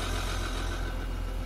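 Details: Audi Q7 engine just started after an oil filter change with engine flush added to the oil; steady low hum under a harsh, rough edge; oil pressure warning comes on immediately, owner suspects the flush is not providing enough lubrication.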